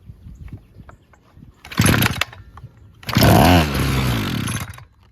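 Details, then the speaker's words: Mellcom 4-in-1 trimmer with a reportedly cracked gas tank, spoon-fed fuel into the intake: a short first pop, then it catches and revs with a steady rasp for about two seconds. Fuel lines connected, purge bulb flexible. Starts and runs normally. "Okay, that'll run. Yeah, that's really awkward. Let me try that again here. All right, so that one will run, sounds like."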